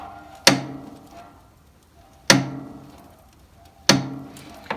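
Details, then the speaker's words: Motostandard/Gutbrod 1010 garden tractor: sharp metallic knocks with a ringing spring tone about every 1.5 seconds as the clutch is worked. Worn steering and axle also noted. "then moving on to clutch it also makes some strange noises so if you ignore the sound of spring it's almost like a knocking sound you can hear"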